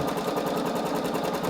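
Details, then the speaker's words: Singer EM9305 embroidery machine: fast even stitching patter with a harder, denser punch as the needle goes through embroidery already stitched where designs overlap. "yeah that noise you can hear is just the needle punching through embroidery that's already been done so that's definitely overlapping there"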